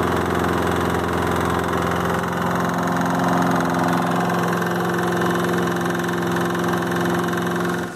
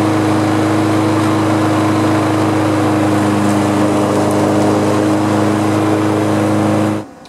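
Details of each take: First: Lawn mower engine running with a huge, loud, steady knock every turn, from a worn rod bearing; engine already replaced, old one opened to find the cause. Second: Small lawn mower engine, apparently the replacement fitted in an engine swap after the old engine developed a loud knock, runs at a smooth, steady speed with no knocking, then shuts off.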